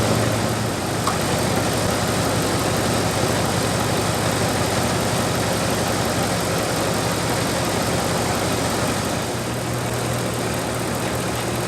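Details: 1997 Dodge Dakota 5.2L V8 2WD idling after water pump replacement and a petcock o-ring fix, warming up while waiting for the thermostat to open; a steady low rumble with no knocks, ticks or misses; a normal, healthy idle.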